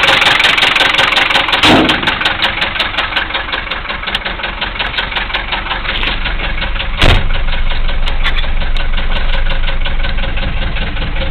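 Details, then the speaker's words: 1974 Mercedes diesel, started with non-working glow plugs, idling: heavy, sharp rod knock about three knocks a second over the usual diesel clatter. "oh yeah it has a rod knock it started with no G plugs it's pretty amazing"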